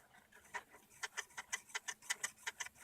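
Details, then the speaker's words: Jeep Cherokee XJ with a 6.0L LS swap, Summit radiator and a modified two-speed Ford Taurus (about 1992–95 V6) electric fan, 3 inches cut off, spun by hand: light ticks about three a second as a blade rubs the shroud. "With my modification, I got it a little bit close to the fan here, and it actually rubs a little bit. I don't know if you can hear it on the video."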